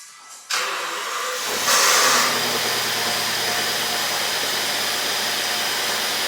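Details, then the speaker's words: Rolls-Royce Ghost series 1 V12, cold after sitting overnight, misfiring heavily: cranks, catches, then idles unevenly with stumbling beat; known cause is the fuel rail sensor, replaced with factory solution. "i think i'll do a sound clip of a startup that cold the car's been here overnight so uh it's definitely cold cold so it should uh sound like utter when i started so let's see"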